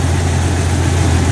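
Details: Jeep Cherokee XJ on 36-inch tires, just after swapping in a 135 amp alternator from a 98 Grand Cherokee 5.2 V8, battery about 12.8 volts: a short stretch of steady, even idle with no misfire or knock, briefly squeaking at first. It runs normally and is charging.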